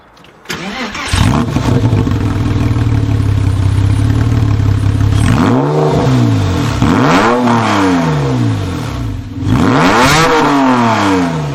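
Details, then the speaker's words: 996 Porsche 911 Carrera, manual, as bought: start-up then repeated sharp revs, raw, very loud deep blat; exhaust has no mufflers fitted. "it's just not it's not good it has no mufflers it's a little too wide"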